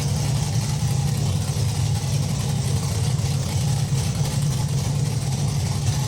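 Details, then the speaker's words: LS V8-swapped Rocket Bunny widebody Toyota GT86 on first start: deep, even V8 burble with a steady low rumble, no knocks or misses, running properly. "oh my God you can't even begin to comprehend how relieved I am to hear that family run and run properly"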